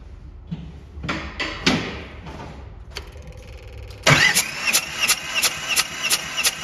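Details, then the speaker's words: Bobcat 543 with 2-cylinder Isuzu 2AA1 diesel that's hard to start cold; clicks then steady cranking pulses about three per second during a compression test on cylinder two, gauge reading only 75, doubted and rechecked with another gauge. "how is this thing even running 75 is that the highest it went"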